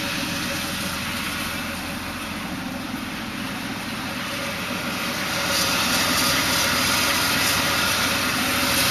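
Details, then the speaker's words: BMW E36 320i automatic, cold start, heard from under the climate controls and louder outside; appears about 20 s after start, only at idle, gone after 5 minutes' driving: constant scratchy metallic hiss; transmission was 2 litres low on ATF. "Right after engine cold start... there is this scratchy noise coming from under the climate controls So let's check from outside... much louder now..."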